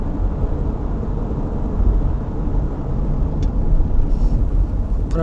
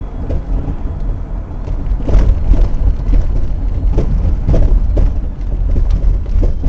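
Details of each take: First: 2000 Toyota Sienna at speed after rear shock absorber replacement to cure a rear spring rattle: only steady road rumble and tyre noise, no rattles or clunks from the back; normal ride, no suspension rattle. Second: 2000 Toyota Sienna rear, driving on smooth pavement: irregular light knocks and rattles a few times per second over road rumble, at a steady frequency. Front struts were replaced earlier without fully curing it, and the rear shock absorbers are suspected.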